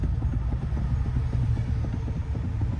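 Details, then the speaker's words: 2011 Toyota Corolla rattling under the steering over speed bumps: quick, light metallic clicks over a low engine rumble from a loose steering shaft U-joint. Its 12 mm bolt is then tightened. "yeah so it's rattling from this uh U-joint right here so what we're going to do is we're going to tighten this bolt off up"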